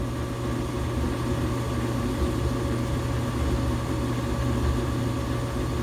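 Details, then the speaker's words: Loud washing machine after replacing the belt, shock absorbers, drum support springs and drain pump: the new pump is barely audible, only a steady low hum and faint even drone with no rattle, buzz or grinding during the spin. It is running normally and quietly. "Boy, you can't even hear that pump running, can you? Oh yeah."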